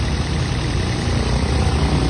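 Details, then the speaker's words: Toyota Vios engine after cleaning a very dirty throttle body: smooth, even low idle with no stumbles or shake until shut off. Spark plugs and ignition coil were okay, MAP sensor cleaning didn't help; the throttle body cleaning fixed the misfire and shaking. "Kitang-kita nyo naman, Throttle body. tahimik na, wala nang palag, wala nang inig."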